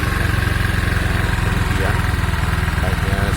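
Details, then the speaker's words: Honda Vario scooter after the CVT was opened up and reassembled: an even, rapid putter at steady idle, the former snoring growl completely gone from the drive side. "starter sekarang ngoknya sudah hilang ya kita coba Nyalakan dan Perhatikan ya teman-teman saatas biasanya ada suaraor ini hilang hilang sama sekali"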